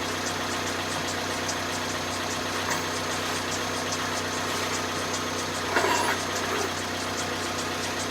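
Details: 2010 Vauxhall Zafira 1.8 petrol, about 140,000 on the clock, first suspected rod knock: steady idle with a light even ticking knock and rubbing at the front; owner suspects the water pump and possibly the timing belt tensioner or dampener, unconfirmed.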